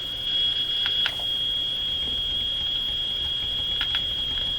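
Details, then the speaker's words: General Electric CL541A ship radio with the local oscillator disabled and a signal fed into the IF stage: a steady high-pitched whistle at one pitch over faint hiss, independent of tuning. Suspected strong interference near the IF frequency from a source in the shop; persistent spurious tone. "So that persistent tone could be due to a powerful interference signal right near the IF frequency."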